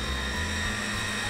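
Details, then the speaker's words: 2006 VCR fast-forwarding a tape: the transport starts slowly, then kicks into high speed with a steady high-pitched spool whine, constant pitch, and no scraping or grinding; the transport sounds normal. "I'm just going to press fast forward, and you can see how it starts out a little bit slow, and then it kicks into high gear, and you can probably hear the sound it's making."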